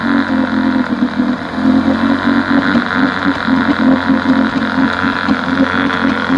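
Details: 1971 Johnson 9.5 HP outboard after carb cleaning; previously wouldn't stay running without choke; morning test run, steady even two-stroke burble at fast idle, no misses or surging; normal running.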